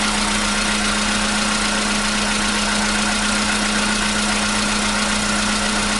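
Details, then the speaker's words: 2015 VW Polo Sedan, 76,000 km, cold start with new battery; it long knocked only when cold: settles to a smooth, even idle with a steady hum and no tapping or knocking; the cold knock has suddenly gone. "Вот так, проехав 76 тысяч, двигатель внезапно перестал стучать."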